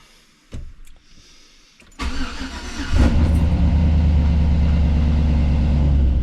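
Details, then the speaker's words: 2005 Chevrolet Silverado with junkyard LS engine, Truck Norris cam and high-flow oil pump, untuned, first start: a few cranks then catches quickly into strong even V8 idle, no odd noises; 60–70 psi oil pressure. "Oh my god, it fired right up. Let's go, man. It sounds good already. For not having a tune, I can't believe how good it's running."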